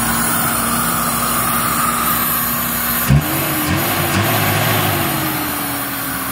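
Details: Toyota Revo 7K engine after burnt wiring repair, with distributor, throttle body and injectors replaced, check engine light on: starter cranks, engine catches right away, revs briefly, settles into steady idle. Starts and runs normally.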